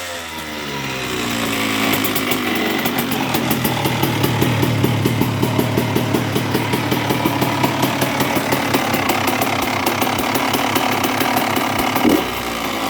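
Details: 2002 Honda CR125R two-stroke with new OEM cylinder/top end and Wiseco crankshaft: revs and holds with a rough low growl under exhaust crackle; growl persists, crankshaft and main bearings suspected, next to be replaced.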